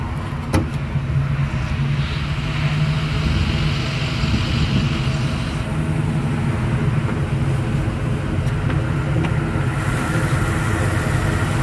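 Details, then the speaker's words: 2015 Ford F-250 Super Duty XLT, 6.2L V8, automatic, 4x4, 182k miles: steady, even low rumble at idle with no knocks, ticks or squeals; starts up and runs like it should. "Starts up and runs like it should."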